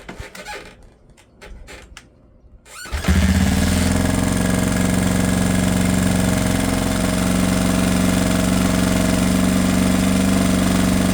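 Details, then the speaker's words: Rebuilt 1979 Honda XR500 single-cylinder four-stroke, first run in about 10 years, after idle adjustment; the owner suspects it runs lean because the air filter canister is missing. Smooth, even, steady warm idle thump with no knocks or ticks. "Yeah. Listen to that idle. Nice. Wow, that sounds so good."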